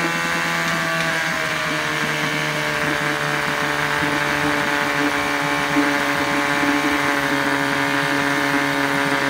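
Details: 1972 Johnson 6R-72D 6 hp two-stroke outboard, getting hot and steaming: steady buzzing drone with uneven, stumbling low pulses underneath; rough running, owner suspects carburetor needs cleaning and will order a water pump.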